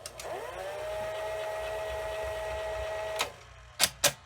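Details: Sony SL-2710 Betamax VCR: a steady mechanical whir with an even, constant pitch for about three seconds during fast forward, then clean stops and clunks; fast forward sounds healthy.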